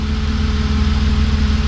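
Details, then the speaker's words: BMW E36 M3 S52 six-cylinder petrol engine idling smoothly after 10+ years sitting, restarted with almost no fuel after clearing codes; no misfires heard, though secondary air pump whine is audible and cat codes expected to return. "it's running good I'm not listening to any misfires so hopefully those don't come back"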